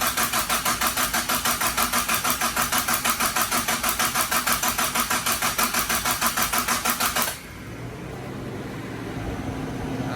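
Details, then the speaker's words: Mitsubishi Starion/Conquest G54B engine just reinstalled, before its first start: even starter chug at about three beats a second for seven seconds with no firing, cranked on purpose to build oil pressure; a normal no-start priming crank. "Okay, so we're gonna crank it over right now. Get the oil pressure and everything going. There we go."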